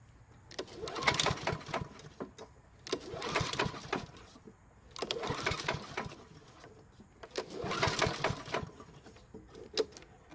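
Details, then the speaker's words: Worn-out mower engine (burns oil, blue smoke on cold starts, loud knock) that stalled after three minutes; four rope pulls with starting fluid, won't fire, fast rattling knock each pull, almost zero pull effort; owner suspects fuel issue. "you can even hear the knocking noise as i pull on the rope now the engine is so worn out that it takes almost zero effort to pull the rope"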